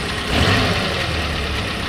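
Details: Suzuki Carry 1.0 petrol engine idling with clutch pedal pressed after clutch replacement: steady, no metallic rubbing or whine on top; earlier noise on pressing the clutch is gone.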